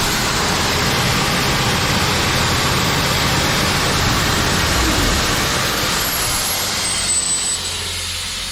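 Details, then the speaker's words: Old Sullair 185 gas compressor with tank connected, running on its own with no extra tank, wires hooked together; steady, even drone easing slightly at the end, no knocks, misses or surging. "that's nice what do you guys think you think I got a good deal"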